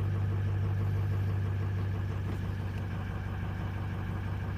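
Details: Diesel on a cold start with the ICP sensor and almost everything unplugged and no accelerator pedal: low idle with a steady drone that slowly sags and surges, roughly three pulses a second; unstable hunting idle, cause not yet found.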